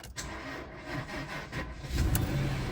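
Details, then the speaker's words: 2007 Jaguar XJ8 Vanden Plas, 99,000 miles, first start after electrical faults; brief starter whir, then it catches and runs a bit rough, idling oddly at first before smoothing out. "Whoa! What a win, folks. Huge win. It's not running quite well. It's idling weird. All right, smoothed out."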